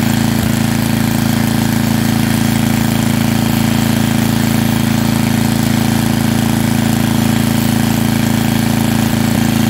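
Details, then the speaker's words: Small estate-sale generator engine (owner guesses under 20 years old) running after taking apart the carburetor and flushing dark, years-old fuel from lines, with fresh oil; loud, steady, even hum with no hunting, popping or misses, now running nicely. "i took apart the carburetor and it runs now pretty nicely definitely worth the money it puts out power it'll definitely be able to be ran in an emergency now"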